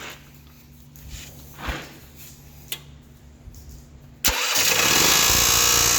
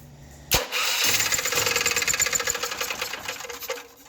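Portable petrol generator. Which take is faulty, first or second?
second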